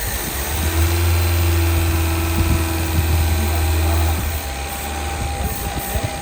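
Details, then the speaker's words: 1975 Honda Civic CVCC in a will-it-run revival, flooded after fuel trouble: the small four-cylinder settles into a steady, even, very quiet idle with no knocks or misses, sounding like a new motor. "That's crazy. I can't believe it sounds that good. It sounds like a new motor. It's super quiet. Super quiet."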